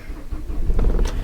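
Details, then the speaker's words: Nissan Qashqai Tekna that failed its MOT, started before a test drive: catches almost instantly on the button and settles into an even low diesel rumble with no knocks or misfires; a healthy start. "Fires up on the button. That's what I want to hear."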